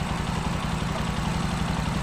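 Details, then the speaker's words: Single-cylinder engine after throttle body replacement: steady putter of about nine beats a second, holding idle without hunting or dying. Before the replacement it stalled as soon as the throttle was released. Normal idle. "Menor na guys Ayaw na mamatay niya nung hindi pa natin na ano pagkarating dito hindi pa napalitan ng throttle body pag-start mo pag bitaw mo ng throttle namamatay kaagad ito guys"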